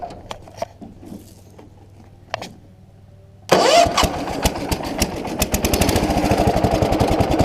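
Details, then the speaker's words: Allis Chalmers 716H Kohler K341 single-cylinder with new starter, faulty starter solenoid always live: quick starter whir, engine catches at once and settles into steady even thumping run; starts like new, normal start. "New starter works, but the starter solenoid is junk, so it's always live, so you just start it up."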